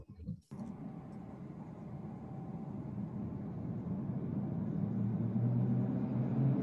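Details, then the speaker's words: Collins Aerospace hydraulic ram air turbine in a wind tunnel test: rumble swells as airflow builds past threshold, low tone climbing and settling into an even hum; clean normal spin-up, at steady speed delivering 3,000 PSI and likely about 5 GPM hydraulic load. "and you can hear the turbine. It takes off. Once it gets going, it takes off pretty quickly and immediately starts."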